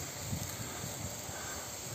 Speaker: Ну тут видно как всё отопление даже слышно как шумит всё отопление вылетает куда-то туда в атмосферу у кого холодно смотрите куда ваше отопление девается а шум такой бьёт фонтаном вот так